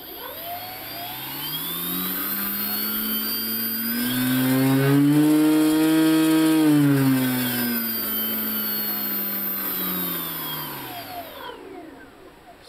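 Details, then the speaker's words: Bench test of Hobby King/Turnigy brushless outrunner on 60 A ESC, servo tester, 4S LiPo: clean whine rising smoothly to steady top speed, winding down without rattle or stutter; healthy, circuit good, earlier fault lies solely with previous motor. "it sounds pretty good so this just tells me that circuit itself is good and the previous setup the problem lies solely with the motor"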